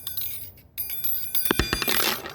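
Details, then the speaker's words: Brand-new chrome moly steel alloy compression ring for a Subaru piston being tapped: a few sharp metallic taps each leaving a clear, crisp ringing tone, a sound new ring. "You hear that? Nice and crisp, nice crisp tone. This is a chrome moly ring. This is steel alloy."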